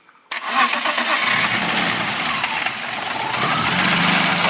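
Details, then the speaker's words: BMW E36 petrol: the starter catches at once after the ECU relay is swapped back in (fault was simulated) and the fuel pump relay fitted. The engine fires cleanly and settles into a steady idle with no stumbling. "nyala ya. Jadi untuk problem bisa starter tapi tidak bisa nyala, penyebab pertama bisa kita ketahui dari relay ecu."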